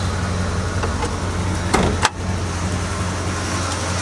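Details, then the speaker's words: 1986 Dodge W150 Royal SE 4x4 truck, about 161,000 miles, with a lot of tune-up work done: steady, even low idle rumble with one brief clunk midway, no knocks or misses; engine idling smoothly. "It's got about 161,000 on it, but it still runs pretty good."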